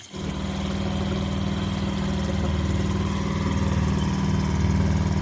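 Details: Outboard motor in the water under load after a new part was fitted, still not performing as it should. It runs with an uneven, wavering beat and no crisp pull; weak running and misfire from worn spark plugs.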